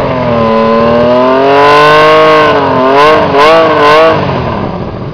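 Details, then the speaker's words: Honda CBX 1000 six-cylinder, chromed aftermarket air filters, loud aftermarket exhaust, stood unused for a couple of years and due a service: smooth rising howl, three quick blips cleanly following the throttle; revs freely and evenly. "as you can hear it runs okay but it does need a service because it's been standing still for a couple of years"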